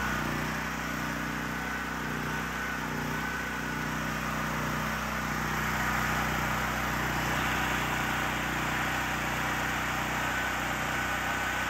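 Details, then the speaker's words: Generac GP6500 COsense generator running with the CO-sense module disconnected after it would start but not stay running: smooth, constant speed with no stumbling or dying off; running normally. "all right so as you can see the generator works just fine now that we got rid of the safety Sally business"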